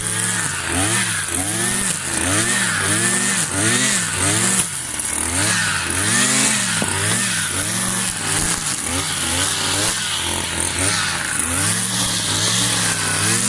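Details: New Kawasaki TJ53E two-stroke brush cutter cutting tall grass: the buzz rises and dips every second or so and recovers cleanly. The engine is healthy and pulling well under load.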